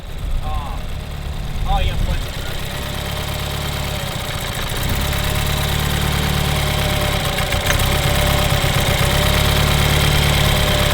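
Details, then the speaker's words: BMW F30 328i at idle after a different spark plug was fitted: steady, even low idle with a smooth hum, no stumble or knock. Runs much healthier, though a misfire is still mentioned afterward. "sounds way better sounds way better"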